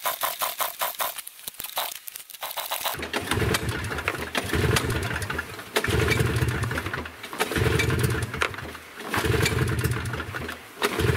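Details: Yamaha Bravo 250 snowmobile that bogged when warm, after cleaning its Keihin carburetor and setting the screw 1.5 turns out: a few quick cranks, then the two-stroke catches and revs rise and fall with no obvious bog; engine starting and running normally.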